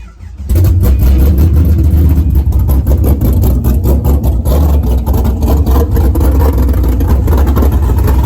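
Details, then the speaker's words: Pontiac GTO being rebuilt after a crash, running open headers: loud, raw, even engine note with a deep rapid pulse and no misses or knocks; normal running with open headers. "there we go now it's still open open headers so it's"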